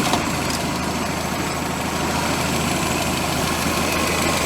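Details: VW Scirocco MK2 with Pierburg 2E2 carburettor, restarted after three years sitting, warmed up with thermostat opening; even, steady idle with constant low hum, no knocks or misses; normal hot idle.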